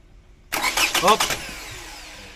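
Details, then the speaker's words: 2006 Toyota Camry automatic, probably 2.0, no-start after alternator replacement; fuses, relays, battery and fuel pump checked: starter cranks about a second then stops without engine catching; crank no-start. "so hindi pa naman siya starting cranking pa lang so pagka naging Dito dapat aandar na siya"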